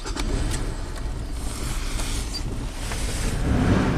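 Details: 2004 Nissan Xterra 4x4 V6 on a cold start: uneven chugging idle with irregular stumbles over a rough low rumble, running very rich with code P0172 and failing emissions.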